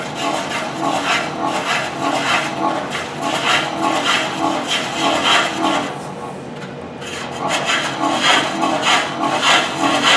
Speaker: we're going to keep on just grinding away here and you can hear as it comes around you can hear where that high spot is